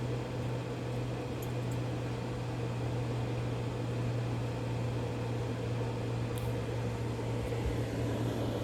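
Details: Green Mountain Grill Jim Bowie Choice, reassembled after the auger was cleaned out because it had stopped working: the auger now turns, but the motor gives a loud, steady low hum with an even whir and no speed change. Loud auger motor drone, cause unclear.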